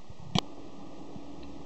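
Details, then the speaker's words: Laptop hard drive water-damaged from sitting outdoors, failing SMART short test with read error; during wipe it slows and struggles, quiet hum with a sharp click and faint ticks. "see i was slowing down now struggling you can hear it clicking"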